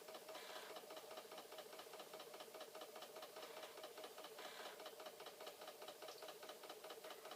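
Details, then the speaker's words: Flood-damaged Commodore C2N datasette winding the tape; faint motor whir with fast uneven ticking as the reel drags, slows and nearly stops; owner suspects something with the tape. "this is going to rewind or fast forward and oh it is slowing down again maybe there is something with this tape you never know you know it is definitely slowing down and i can see it like stopping like there's something upsetting it over here"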